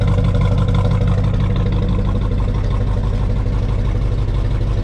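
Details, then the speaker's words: 1969 Chevelle SS V8 with factory exhaust, restored 23 years earlier and now rusting, fires right up: deep, steady, even burble at cold idle, about three pulses a second, no misses or knocks; normal healthy idle. "But anyway, fire's right up. Let's see what the exhaust sounds like. Keep in mind, this is factory exhaust."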